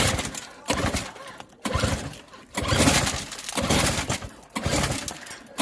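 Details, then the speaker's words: Small auction snowblower with electric start, choke on and gas in the tank: five or six pulls about a second apart, each giving a short cough or catch, but engine never settles into a run. "almost started so yeah chill plus let's see about the choke the choke is on"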